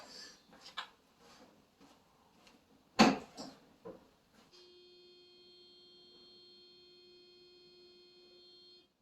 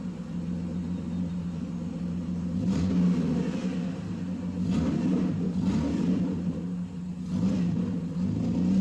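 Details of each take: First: Mercedes sitting 13 years, with Bosch electronic distributor ignition: after a warning chime the starter cranks steadily with good, even compression pulses, but the engine never starts. Crank, no start; spark is to be checked next. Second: Mercedes first run after 13 years, belt removed, idle settled at 650 rpm: low, even rumble with no misses, knocks or ticks; normal idle.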